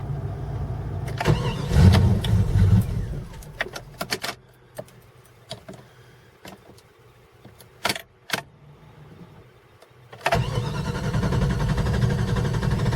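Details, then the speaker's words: Cold morning start of a 5.2 engine that starts and runs fine warm: heavy low cranking for a few seconds, clicks and tries, then it finally catches. Owner suspects temp sensor, throttle body sensor or computer; cause unconfirmed. "okay we're gonna let's see if it's gonna crank up this morning let's see the smaller crank up this morning still cranky"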